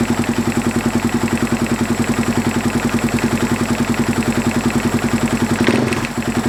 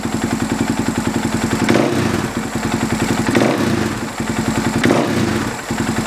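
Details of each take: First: Husaberg FX450 single-cylinder, started cold, at low-rpm idle: rapid metallic clatter that rises in frequency with throttle blips, timing chain knocking because the stock hydraulic tensioner loses pressure; fixed with an aftermarket tensioner. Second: Husaberg FX450 single-cylinder idling with an even thump and small throttle blips after a Dirt Tricks timing chain tensioner replaced the stock hydraulic one; the cold-idle chain knock is gone.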